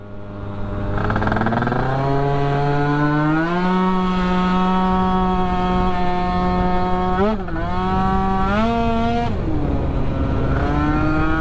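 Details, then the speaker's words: Newly built Yamaha Aerox scooter during carb jetting and timing tuning: buzzy howl holding high revs, stumbling and cutting out briefly twice; owner suspects not enough fuel up top. "yeah a little deadly sounds like i want quite enough fuel up top you could hear kind of cut out there"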